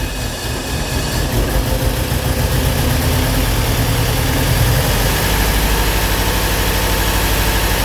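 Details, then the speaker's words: 1986 Porsche 944 base manual, parked at least 10 years, first start with dirty engine: fast ticking valve-train clatter over a low, lumpy idle, apparently firing on only some cylinders before oil works through; oil pressure good. "Yeah, like I said, I think that's 2 cylinders. Valve train's a little noisy, as you would expect."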